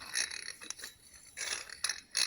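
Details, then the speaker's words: 1920s Luther hand-crank grinder, disassembled, turned by hand: dry raspy scraping in uneven bursts as internal gear rubs the casing, with shaft play; fix planned: press gear off, add spacer, press back on. "you can hear that grinding sound so the gear inside is grinding against the casing"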